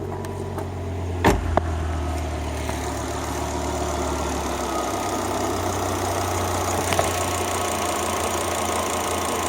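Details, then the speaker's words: Volvo XC90 T5 five-cylinder at idle right after a failed ignition coil was replaced with an aftermarket coil: after a brief clatter it settles into a steady, even idle with no misses, the misfire gone. "It sounds like that normally. The 5-cylinder."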